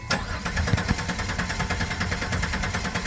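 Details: 2000 Chrysler Sebring cranks with a steady, even beat and never fires; the pump relay signal and electrics check good, and the old fuel filter was clogged. Crank, no start, traced to a failed fuel pump.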